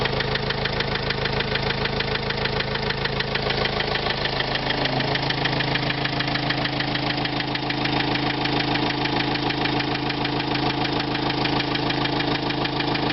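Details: 2005 Renault Trafic 1.9 dCi diesel at idle with a sharp, regular tapping about three times a second over the clatter, steady throughout; engine knock, cause not pinned down.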